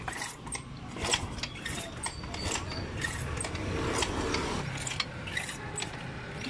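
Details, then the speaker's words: Yamaha Mio i125 scooter that runs worse after a prior repair, with a throttle that sticks and won't return: repeated starter and kick-start attempts turn the engine over but it never catches. "di ah wala resp ayw talaga guys starter at kick start"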